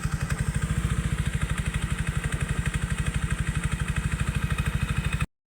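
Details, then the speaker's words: Yamaha Aerox 155 scooter at idle after repair for a tin-can-like rattling engine noise, bearing checked: quick even single-cylinder pulses, rattle gone, only a faint slight mechanical clatter; runs smooth. "So ayan wala na pong tunog ng lato napaka po ngar po ng aerox po natin pero may konting ingay siya"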